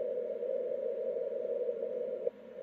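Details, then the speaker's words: 10 GHz beacon transmitter heard on receiver about 1 kHz off frequency: steady carrier tone with a sharp click as it keys off; key clicks occur on both key-down and key-up, still evident several kHz away. "there's the key click on break so it's clicking um it's clicking both on key down and key up or make and break uh on this"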